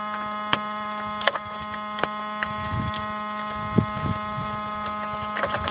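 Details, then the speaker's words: Saturn with battery connected: a steady low electrical hum with a bright buzzing overtone and faint ticks; it continues even with the car turned on, source unknown. "if you can hear it buzzing sound somewhere over here can't tell what it is and it still runs even when I turn the car on"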